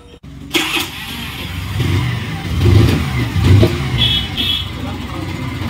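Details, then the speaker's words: Hero Maestro BS6 scooter after a non-start fixed by fitting a genuine regulator: starter spins briefly, engine catches and settles into a steady, even idle; normal start and idle. "স্কুলিটা এখন start হয়ে গেছে"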